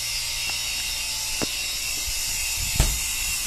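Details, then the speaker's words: Brastemp duplex 360 L refrigerator that stopped cooling its lower section and made motor noise. After the new motor and sensor were fitted, the vacuum pump runs evenly with a steady high hiss and hum, no knocking, while the system is evacuated. "e agora a gente tá finalizando aqui o vácuo né"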